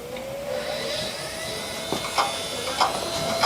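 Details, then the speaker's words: Old Toshiba desktop PC with 3dfx Voodoo2 card, first power-on: a rising spin-up whine then a sharp click roughly every two-thirds of a second; the hard drive is dead. "Wow, the hard drive's dead. You can hear it, right?"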